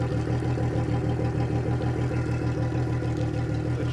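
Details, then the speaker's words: 2003 Yamaha 225 four-stroke outboard after fuel flush: smooth steady mid-pitched idle with even pulse and no hunting or knocking; shifts fine, slight miss on start-up, otherwise sounds pretty good. "Sounds pretty good actually."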